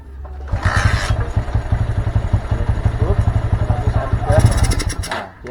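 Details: Honda Mega Pro Primus single with a dead CDI, trial-fitted with a Shogun CDI that has different ignition timing: low chuffing at about four beats a second for several seconds that never catches; cranks but will not start.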